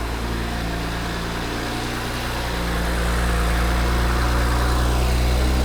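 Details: BMW 135i under restoration, just jump-started on the third try with a new Gates belt installed: smooth, even idle with a steady low hum rising gently, no belt squeal or chirp, a normal healthy idle.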